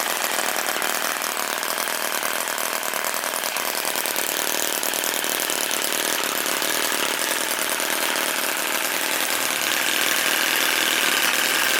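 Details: Musa Hoglet model V-twin, air-cooled two-stroke on oil-fuel mix, about 0.6 hp, CDI ignition, after kickstarting: fast thin buzzy note, fairly even, no knocks or misses; running fine.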